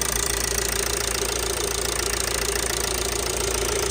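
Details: Ford Transit Connect 1.8 TDCi diesel at hot idle after a thermostat and housing replacement for a coolant leak: steady, even idle with a regular light clatter and no misses or knocks, a healthy warm engine.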